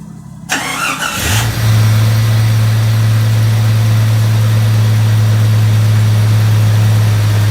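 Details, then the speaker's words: 1999 Jeep Cherokee after engine swap, first fire after oiling the cylinder: engine cranks briefly, catches and settles into a steady, even low idle with no misses; smoky but smooth. "Smoky? Smoky. Smooth, though. Damn smooth."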